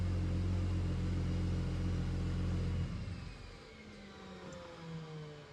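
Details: Single-turbo BMW N54 first start after fuel-system work, pumps primed, some air in fuel expected: catches after a brief uneven start and settles to a steady even idle, no knocks or misses; running cleanly.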